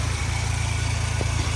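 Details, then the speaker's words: 1996 Suzuki Jimny small 3-cylinder idling, hood open, heard at the engine bay: even low-pitched pulse, no belt chirp or squeal or obscure belt noises; very smooth, healthy idle. "So yeah, as you can see, no obscure belt noises or anything like that. Idle's great, especially for like for a little 3-cylinder. It's very smooth."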